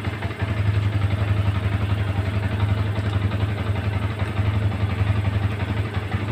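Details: Yamaha Vixion after the blinking indicator light problem was fixed: a steady, even low thump at idle with no stumbles.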